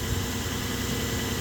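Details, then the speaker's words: 2008 Ford Explorer that randomly dies and cranks without starting: started right up, idled up then settled to a lower steady idle with no stumbles; normal idle. "It just started right up. It starts, it idles up, goes back down to a lower idle, and it runs smooth."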